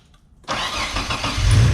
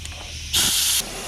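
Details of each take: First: Mitsubishi 3000GT VR-4 after installing AEM fuel pressure regulator and gauge, new fuel pump and fixing boost/vacuum leaks: rough stumble at start, then revs settle into a deep, steady idle that smooths out and holds; running properly. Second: Mitsubishi 3000GT VR-4 boost leak test with boost leak tester: half-second burst of sharp, high-pitched air hiss as intake is pressurised; leak traced to a most likely loose intake pipe coupler, pipes already welded.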